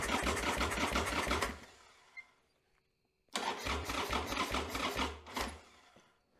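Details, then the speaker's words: 1995 Harley-Davidson Sportster Evo engine after top-end rebuild, first start attempt, battery sat 7–8 months uncharged, on charger, carburetor possibly without fuel: two slow labored cranking bursts about three turns a second, no firing; slow cranking, no start. "so I kind of tried to turn it over a little bit but like I was saying it doesn't have any fuel in the co rator so it may take a minute for it to start up"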